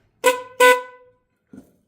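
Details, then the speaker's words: 2011 C6 Corvette dual horn set bench-tested on a 12 V supply, hand over one horn: two short thin high-pitched honks with no deeper low tone; the low-note horn has failed, leaving the horn weak and high-pitched. "Yeah, and you can hear the difference there. It doesn't sound like this one's honking at all. So let's get that thing in there a little better. Yep, so this side's not working."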